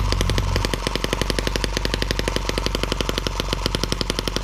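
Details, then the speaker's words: M17B small engine on the bench, first start after unboxing, before adding cooling water: rapid even crackling beat, roughly a dozen pops a second, holding steady at higher rpm; noisy, not perfectly even, but running healthy. "noisy little thing likes to jump around a lot higher rpm you guys can get a better look at it"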